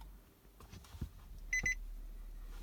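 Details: 2016 Nissan Murano won't start: quiet cabin, then three quick high-pitched beeps and no cranking when the start button is pressed with the brake, as the dash shows "Key ID Incorrect". Key warning chime, no start.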